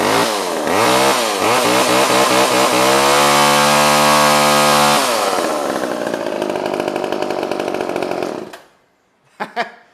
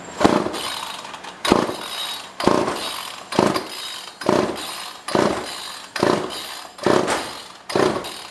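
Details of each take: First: Old pre-1990s two-stroke chainsaw restarted without warm-up: revs cleanly, pitch climbing and holding steady before a crisp shutoff; strong, healthy running with no misses. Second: Old pre-1990s two-stroke chainsaw, no primer, no air filter fitted: repeated rope pulls about once a second, rasping whirrs that die away without catching; fuel seems only just reaching the line.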